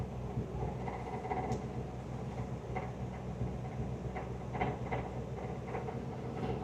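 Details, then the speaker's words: 1961 Buick LeSabre convertible top motor: low, labored electric hum with faint clicks, running slowly; owner suspects very low battery, possibly an alternator problem. Slow convertible top motor. "You know what I think it is? I think it's cuz the battery is so low. I think if I hooked it up to that uh tender, I feel like it would work better."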